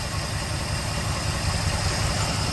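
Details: 1969 Chevelle idling steady near 600 rpm after the rebuilt carb install and timing set to factory spec, vacuum advance still unplugged: even beat, no misses or hunting; normal idle.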